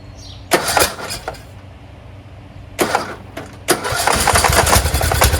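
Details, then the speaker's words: Craftsman T1600 46" lawn tractor, Briggs 19hp, after cylinder and head gasket replacement, oil smells slightly of gas: couple of short cranks, fuel solenoid heard, then steady even idle with no knocks or stumbles. Normal running. "I hear the fuel solenoid working do sound very good"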